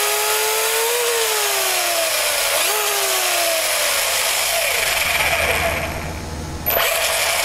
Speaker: this is running smoothly as far as i'm concerned but it is noisy